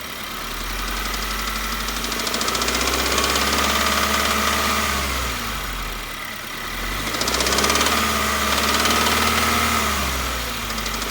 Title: 2016 Subaru engine knock/rattle